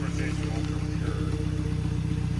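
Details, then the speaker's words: Turbo car on its third turbo, codes cleared, spark plugs cleaned, started on race day: deep, even rumble with steady low drone, no misses, knocks or whistles, some smoke; sounds good. "Wow, it sounds good. Sounds real good, brother."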